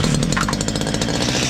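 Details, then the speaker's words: Stihl MS 230 chainsaw, warm, compression good and piston free: steady high revs with a buzzy chattering rattle near the front of the exhaust, like a small loose part; exhaust nuts tight, cause not yet confirmed. "essa máquina só escutei uma zoada aqui na frente do escapamento dela aqui ó como tivesse alguma pecinha solta"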